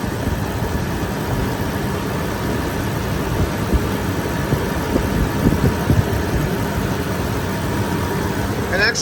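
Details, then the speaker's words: 2006 Range Rover Sport HSE with overheating problem, idling about 15 minutes after cooling work, hood open, cooling fan running hard, coolant not bubbling: steady even idle, low smooth hum, no knocks or misses; engine sounds good. "engine sounds good fan is on blasting"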